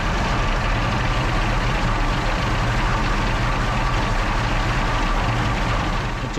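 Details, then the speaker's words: Original WWII Maybach HL230 V12 Panther tank engine during a tune-up, before adjustment; fast, steady idle around four pulses a second, a touch high; high idle speed, to be brought down by turning the main accelerator linkage one turn. "the main Yeah. accelerator linkage one turn to bring the idle speed down."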